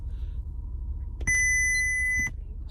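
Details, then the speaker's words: 2006 Acura TL radio locked out: one steady high beep about a second long over quiet cabin hum once the lockout timer ends, meaning the radio code can now be entered. "you'll be able to know that you can enter the radio code when you start spamming these buttons and the beeping occurs so right now i can't so i just gotta wait oh there we go there's the beeping"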